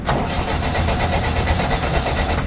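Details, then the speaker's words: JCB backhoe loader with the key off, starter button pressed: even, fast cranking that never fires because the fuel shutoff solenoid is only powered with the key on; it starts normally key-on; crank no start, fuel shutoff solenoid not energized. "máquina não pega, tá, galera? Agora vou ligar a chave. Liguei a chave e vou acionar. Funcionou de boa, entendeu? E o start só vai funcionar, galera, é, se a chave estiver ligada, por causa do acionamento do solenoide, tá?"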